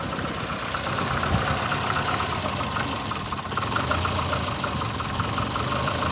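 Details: VAZ 2115 8-valve at idle: irregular light knocking and rubbing chatter over a slightly uneven beat. Started after cylinder-1 head gasket blew and antifreeze and oil were changed; misfires cold, check-engine light on. Cause not found.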